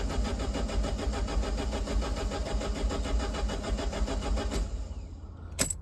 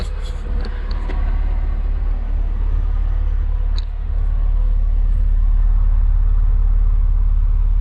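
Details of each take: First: Neglected Alfa Romeo Spider, key in ignition: starter cranks engine steadily about four and a half seconds but never catches; confirmed no spark, attributed to the immobilizer. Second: Neglected Alfa Romeo Spider, first start after months unused, started by bridging the relay: steady, smooth deep low rumble with no misses or knocks and no oil starvation; normal running.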